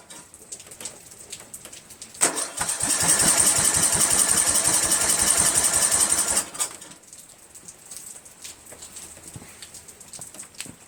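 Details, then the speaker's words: 1999 Craftsman LT1000 lawn tractor, Briggs 17.5HP engine, starting fluid sprayed, off choke: steady fast cranking for about four seconds with only a stray pop; cranks but won't start. "Off choke. Nothing. Pop. Pop."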